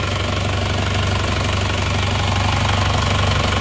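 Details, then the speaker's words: Isuzu Panther diesel after an engine rebuild for heavy blow-by, including new piston rings, warm at 73 °C after a test drive: even regular clatter and steady low rumble at idle, no blow-by chuff or misses; smooth, like-new idle. "Untuk mesinnya suaranya halus ya, ini suaranya halus, oke, seperti baru."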